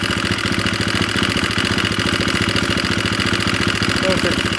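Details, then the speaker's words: KTM 350SX first run after long storage, blinking 13 code: uneven idle with busy mechanical clatter on each beat; owner hopes adjusting the cam chain manual tensioner fixes the noise. "hopefully adjust that cam chain. Hopefully that's all that is. It's making that noise."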